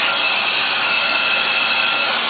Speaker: see so the pump itself isn't what's loud what's loud is the air going across the turbines